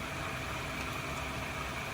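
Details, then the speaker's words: Mercedes W123/W116 auxiliary fan after rebuild, rear sleeve bearing oiled, front ball bearing packed with grease, run at 6 V drawing just under 6 A: even steady whir, no scraping, squeal or wobble; motor healthy. "I I dare not run it at full power this is only at 6 Vols uh cuz it'll probably take off if I give it the full 12 volts and it's just under 6 amps at the 6 Vols that it's currently sitting at"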